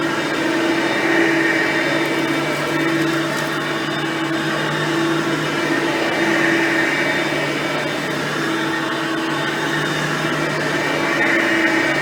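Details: Hoover Platinum Collection lightweight bagged upright, direct-air, running; steady, even mid-high motor whir, no rattles, surging or grinding; quiet, normal running.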